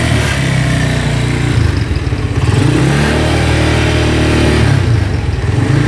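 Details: Cold Honda Tiger single that smokes when cold and lacks power: rough uneven beat with light clatter at the cylinder head. It sounds like a scratched or slapping piston; the valvetrain noise comes from loose rocker arms.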